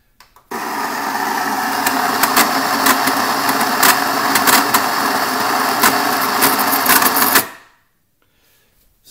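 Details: Baratza Vario coffee grinder with ceramic burrs, hopper full of beans: steady whir for about seven seconds broken by irregular sharp cracks and snaps; the fine setting lever also skips down.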